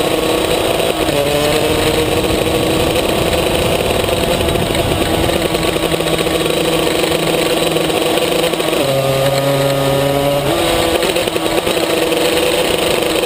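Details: Maxter KZ2 two-stroke kart engine, clutch test 2; steady high scream then jumps higher for a couple of seconds without pulling down; slipping clutch.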